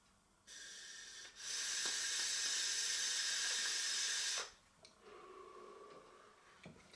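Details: Kanger Nebox vape mod with stainless steel coil, fired at 450°F: soft steady hiss for about three seconds while the button is held, then stops; coil fires cleanly and evenly, though flavor is only decent.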